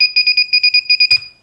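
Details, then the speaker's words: Naze32-based FPV quadcopter with FrSky Taranis transmitter, set up in Baseflight: flicking the arm switch gives about nine quick, evenly spaced high-pitched chirps, then a click. The buzzer beeps normally. "o in your flight modes and you push this up you'll hear it start bumping start beeping like that this is arm and that's beeping"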